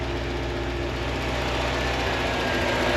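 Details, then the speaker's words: Corvette C4 after fuel pump install, following fuel pressure regulator trouble: even, steady idle with soft regular pulse, no knocks or misses, idling down as it warms from about 900 toward 700 rpm. "She idles down like she should. She's down to nine. Eventually she'll go down to seven."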